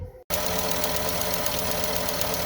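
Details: 2009 Porsche Cayenne S V8 idling cold, being warmed up during a coil pack and spark plug tune-up: a fast, even light ticking over the engine note, lifter tick present until the oil warms.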